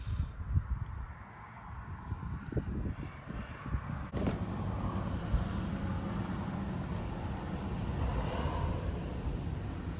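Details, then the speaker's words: Gas furnace after the burner and gas valve were shifted about 1/4 inch and the exhaust was refitted, fired from the thermostat: a soft thump about four seconds in, then a steady, low whooshing roar. Normal ignition and burn. "So hopefully you can hear that. It just fired up."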